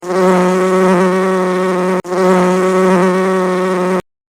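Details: Steady, fairly low buzz with a strong even tone, running about two seconds at a time, stopping and restarting; buzzing fault, cause unknown.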